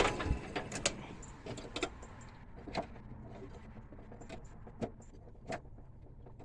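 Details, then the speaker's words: International 484 tractor starter motor clicking: scattered sharp clicks at uneven intervals with no cranking or firing. Owner suspects a dirty electrical connection down by the starter; cause not confirmed. "ah that problem again okay got a clicky starter motor as you can hear"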